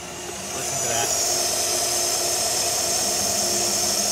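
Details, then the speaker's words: 2020 Silverado Trail Boss running after fix attempt on newly installed JLT 3.0 oil catch can: steady airy hiss over low engine hum, slighter than before; vacuum leak at the catch can. "so it still hisses there's still a slight hiss take a quick listen"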